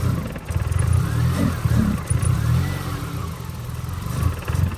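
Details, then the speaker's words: 2002 Infiniti G20 with SR20 engine, crankshaft position sensor just replaced, in limp mode capped at 2500 rpm, jump-started: idle holds but each throttle blip bogs and stumbles; hesitation on throttle. "So, it is idling fine, but you give it any kind of like gas. Oh, yeah. Not liking it."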